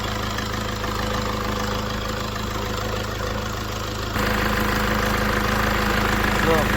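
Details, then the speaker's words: Mercedes W204 idling after repair: previously rough idle and noise when turning the steering wheel, traced to a defective alternator freewheel pulley, now replaced; steady, even low hum with no knocks or squeals, engine runs smoothly, normal idle. "alles läuft ruhig und Motor ruhig."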